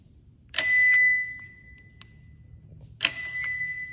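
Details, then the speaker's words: Lexus RC 350 after trunk latch actuator replacement, tested with key fob trunk release: clear high chime, then a solid pop as the latch lets go a few seconds later; trunk release works normally. "works just fine so I know is that electrical is working back the way it's supposed to"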